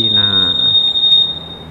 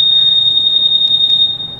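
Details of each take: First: Honda Scoopy 2021 smart-key scooter: piercing, steady high-pitched anti-theft alarm tone set off by moving it, silenced temporarily by pressing a button. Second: 2021 Honda Scoopy anti-theft alarm, set active and triggered by rocking the scooter: a loud, steady, high-pitched electronic tone sounds without a break; the alarm reacts to vibration as designed, and its sensitivity has three levels.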